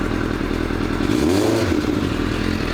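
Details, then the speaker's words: Idle on a fuel-injected motorcycle with the choke off, after revs dropped and recovered. A loose metallic rattle rises briefly with a throttle blip. Owner suspects loose clutch plates; the exhaust was checked and is not loose. Cause unconfirmed. "It sounds like clutch plates being loose and they rattle. It's that, or it could be the exhaust being loose."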